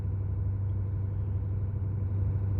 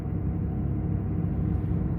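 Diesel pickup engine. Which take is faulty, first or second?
second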